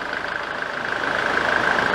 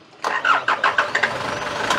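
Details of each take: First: 1993 Nissan Terrano diesel, in for hard starting: settles into a steady idle with even, regular firing and no misses or stumbling; engine running healthy. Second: 1993 Nissan Terrano diesel with hard starting: cranks in uneven pulses, catches, then runs flat, strained and without power before dying; injection pump suspected and being checked by direct diesel supply.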